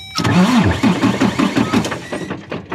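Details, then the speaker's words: Freightliner Cascadia truck with no-crank no-start, suspected failed CPC, powered directly at the starter signal wire: steady low churning crank with even pulses about three per second. Starter cranking engine. "yeah so that one you add power and it should crank over so let me try to crank it over"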